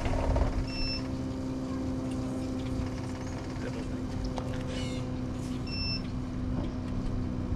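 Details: Onan QD7500 Quiet Diesel generator, after a no-start repair with new filters and an aftermarket fuel pump, primed: steady low diesel drone holding an even note with faint beeps in the background; running normally.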